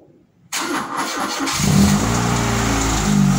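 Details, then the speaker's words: Fiat Tempra 2.0 16V on a cold first start of the day with the hood open: it cranks briefly, then a loud busy idle with a steady rattle. Rod bearing, piston or a simple bearing suspected; the exhaust is also loud. "barulhinho bronzina pistão Ou de repente um simples rolamento de alguma coisa Tempra de munição 16 válvulas fazendo aquele barulho absurdo no motor"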